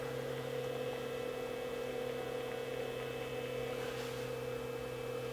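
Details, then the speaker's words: Sage 930A telecommunications test set under repair, heard through the butt set on speaker while testing lockout on tone: low steady mains-like hum with a higher second tone under quiet hiss, a tiny bit of crosstalk, cause unclear. "I can just hear it there's a tiny bit of crosstalk"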